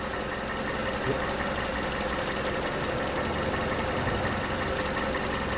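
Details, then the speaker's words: 2011 Toyota Camry 2AR-FE with lifters and rocker arms just replaced, stalling issue. AC off, revved to 1500 rpm and released: a low, uneven, lumpy idle with shudders and shaking, nearly stalling but hanging on. Check engine light remains. "Alright, seems like it wants to die, but she doesn't want to die. Literally feels like you want to die, but you don't want to."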